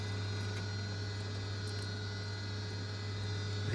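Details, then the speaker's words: Boiler on an intermittent-fault call, with the microphone held to the gas valve: a steady low electrical hum from the valve coil while the burner fails to light. The gas valve is not holding open; after unplugging and replugging it fired straight away. "Just noticed this, I don't know if you can hear it. So the gas valve just isn't staying open or holding open."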